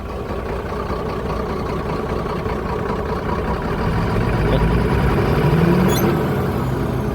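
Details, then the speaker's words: Mercedes truck diesel just after start, with the scan tool reporting faulty unit pump number four: uneven, lumpy idle with a low rumble as one cylinder drops out; misfire from a faulty unit pump. "The other issue was a misfire and as soon as I start it up, you can hear the misfire."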